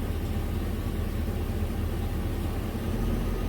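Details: 2006 Chevy 3500 dump truck V8 at hot idle, smooth even low rumble with no ticking or knocking; gauge shows about 35 psi oil pressure, well over the 6 specified, after sending unit replacement; healthy engine.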